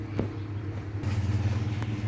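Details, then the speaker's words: Panasonic remote-control electric fan, before repair: low, steady motor hum with a slow, labored spin and no brisk air rush; the motor runs sluggishly and cools poorly, blamed on a weak capacitor. "ตัวนี้ไปเสยครับผมนแต่ว่าอืดๆครับผมมันอืดๆเนาะ"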